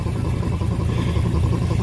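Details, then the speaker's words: 1969 Ford C700 330ci V8, cold start: steady idle with a slow, rhythmic wobble underneath as the air compressor builds pressure. Normal until the air tanks fill, when the noise stops. "oh there you have it she's running that wobble air compressor building up the air once the air pressure gets full it'll stop making that noise"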